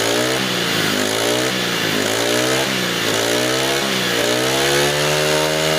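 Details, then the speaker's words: New GX25–35 class four-stroke grass trimmer engine: a high-revving little engine whose pitch sags briefly each time the throttle snaps open, then recovers, as the carburettor can't deliver fuel fast enough. A normal momentary bog, nothing wrong. "นะครับเมื่อเรากระแทกคันเร่งกระทันหันจะมีอาการวอดวูบกันสักนิดนึงนะครับเป็นเรื่องปกติธรรมดานะครับเมื่อเรากดคันเร่งอย่างเร็วนะครับคาร์บูเรเตอร์มันจ่ายน้ำมันไม่ทันน่ะ"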